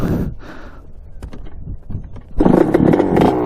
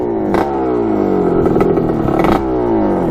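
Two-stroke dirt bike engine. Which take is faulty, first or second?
first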